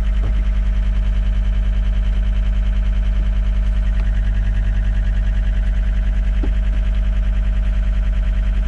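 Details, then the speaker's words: John Deere track skid steer, believed 329D: fast regular electronic pulsing over low engine drone, fault alarm for the left joystick's x-y axis not reading centered; possible dirt or moisture in joystick wiring. "so it's saying left joystick not in Center so it's fussing about this joystick saying it's not in Center so it's the computer is reading x y axis on these joysticks and for some reason it's it's reading that it's not in the center or neutral position"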